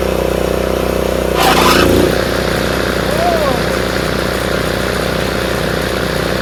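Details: Craftsman RER1000 riding mower after shortening a spring to fix high revving: steady, even beat through a brief rushing burst as blades engage, then runs smoothly under load; normal.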